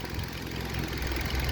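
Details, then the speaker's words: Kia Rio petrol engine idling with oil cap removed: light fast top-end tappet ticking from zero oil pressure, caused by sludged greasy oil blocking the lubrication line so no oil reaches the top. "और इसका जो lubricating area है दोस्तों जो line है पूरा blockage है और इसके वजह से इसमें ऑयल का प्रेशर बिल्कुल नहीं है"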